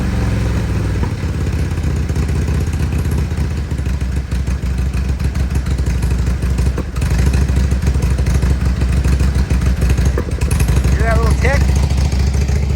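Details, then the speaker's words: 2002 Harley-Davidson Road King Screaming Eagle FLHRSEI after new plugs, wires and carb work, in neutral, idling high with engine light on: stumbling misfiring idle with backfires; revs rise when carb cleaner is sprayed at the rear intake, showing it is sucking air there. "So, watch what happens. I'm going to spray some carb cleaner back here by the air intakes. Hear it rev up? Sucking air. So, it's sucking air in the back."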